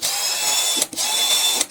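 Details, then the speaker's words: HL 912 18V cordless drill after a year of use, planetary gears regreased, run with no load at variable speed 1 then 2: a high, steady whine cut twice by brief stops, no grinding, smoother than before. "suaranya bertambah halus ya. Ini variabel speed 1, kemudian kalau ke sana, ke depan variabel speed 2."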